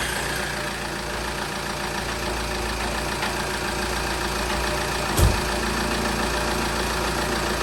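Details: Opel Vauxhall Vectra 1.9 CDTi 150 Z19DTH diesel, 139,471 on the odometer, just after timing belt replacement; even idle with usual light clatter, no knocks, rattles or belt noise. Normal idle.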